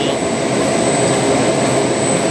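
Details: Ice cream machine motor test after replacing cracked bearing that caused a ticking "tig tig tig" noise: steady, even whir with thin high tone, no grinding or rumble; the noise is gone. Normal running after repair.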